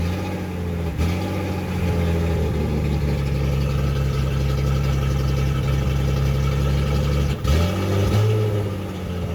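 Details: 1976 Datsun 280Z six, first start after sitting four or five years, open exhaust: loud deep drone holding steady, briefly dipping then picking up on throttle, no misfire; won't restart hot, owner suspects distributor.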